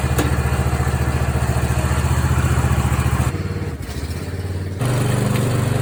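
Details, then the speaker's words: Mower after repair: magnetic clutch damaged by a loose bolt, bolt tightened, wire plugged back in, belt and spring refitted. Clutch test: small single-cylinder engine thumps evenly, dips briefly under load and recovers cleanly. Sounds good, normal running. "All right, see if we have any reaction from the clutch. Sounds good."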